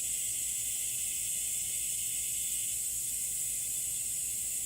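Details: 2016 Toyota Highlander tire raised on a jack while being plugged with a plug kit: steady, constant high hiss with no rhythm, air escaping through the open tread puncture; tire air leak.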